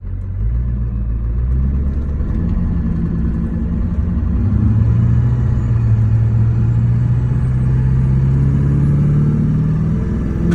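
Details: 2003 GMC 2500HD with LB7 6.6L Duramax diesel: rough, uneven clatter at idle rising into a rev with a lumpy beat from bad injectors, before all 8 were replaced.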